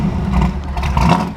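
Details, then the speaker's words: An engine revving with a deep, even note that rises and falls smoothly, with no knocks, ticks or misses; a healthy rev, shown in contrast to a Foxbody Mustang with a suspected ignition fault. "oh this thing sounds so good i love it"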